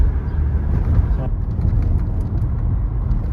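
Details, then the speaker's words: 2011 Toyota Camry SE, about 176,000 miles, driving after replacing driver-side front sway bar (stabilizer) link with aftermarket part: steady tyre and road noise, none of the earlier clunking over bumps; quiet front suspension. "so far I don't hear the knocking noise like the clunking noise like it was before"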